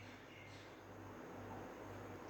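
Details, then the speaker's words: 2013 Toyota Aqua hybrid with engine running after fixing misfire and check engine light caused by water inside an ignition coil: steady low idle hum with even rhythm, no stumbles or skips; no misfire. "अभी मैंने गाड़ी को इंजन पे कर दिया है, गाड़ी इस टाइम स्टार्ट है इंजन पे, कोई मिसफायरिंग नहीं हो रही।"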